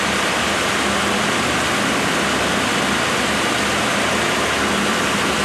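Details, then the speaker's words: Freshly rebuilt 1987 Mercedes-Benz 560SL warm after break-in, microphone at front: loud steady radiator fan rush over a quiet even engine, timing chain tensioner faintly audible, no knocks; healthy. "The fan kicked in, but that's still The actual engine is so quiet that I can hear the chain tensioning."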